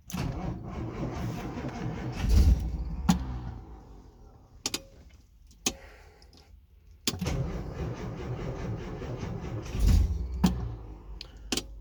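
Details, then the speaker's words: 1964 Austin Healey 3000 Mk3, cold start after weeks unused, battery weakening and starter freed with a crowbar: two bursts of cranking with uneven firing that never catches and dies when cranking stops; fires but won't start. "we are getting consistent firing foreign so I might I'll give just a couple more attempts and then put a bit of charge in the battery and come back after a cup of tea"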